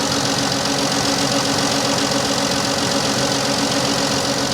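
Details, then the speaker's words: 2014 Dodge Avenger V6 on a cold day: steady idle with an uneven, loping beat about two to three times a second, a dead miss. A coil pack or tune-up is suspected, possibly bad gas. The engine misfires at idle; the alternator also seems bad. "from it from a misfire she sounds really good let's turn this off well that tells you what you need to know about that uh i'm going to say right off that alternator is bad too so we got a misfire and we got a bad alternator"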